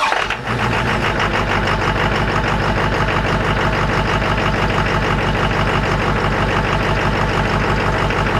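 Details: 2001 Chevrolet Silverado Duramax LB7 diesel, cold start in freezing weather after starter replacement: clatters along at a steady, even idle, no misses or stumbles; healthy idle.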